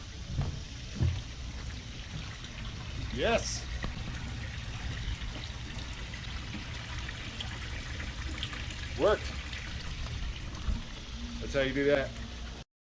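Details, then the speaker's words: 18-year-old Cruisair air conditioning on a Sea Ray boat, after the faulty pump relay trigger behind a "Hi PS" error was replaced with a Dometic dual-voltage unit. Low steady pump hum under splashing water: the seawater pump now runs normally for the forward unit. "Let's power on the pump. And power on the forward there. I think I hear the pump going."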